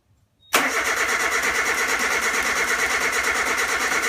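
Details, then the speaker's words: 1987 Suzuki Samurai with Sidewinder kit and new 44mm Screaming Eagle carburettor, first start: catches instantly and holds a fast, steady buzzing idle near 2,000 rpm, too high; later turned back to about 1,000–1,500 rpm. "it up in the nail was at like 2,000 rpms which was way too high so they like basically turned it back"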